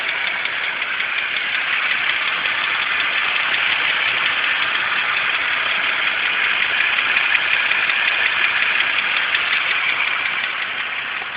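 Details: 2006 BMW 325xi petrol engine idling steadily with a light, fast ticking over the mid and upper hum; cause not stated.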